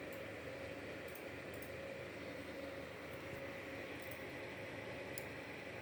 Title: small grinding noise from Asus RTX 3070 OC (LOUD)